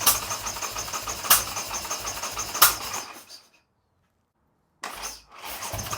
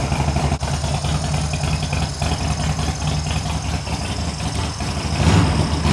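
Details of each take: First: Harley-Davidson Sportster build, first start attempt three or four on choke after snapped choke was replaced and carb cleaned: starter churns steadily about three seconds, pauses, cranks again, no firing; has compression, flames seen, owner suspects ignition timing is off. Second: Harley Sportster build, first start after fitting new short plug cables, choke on and throttle adjusted to idle: loping, uneven potato beat settling steady, then a rev; runs fine, no obvious leaks.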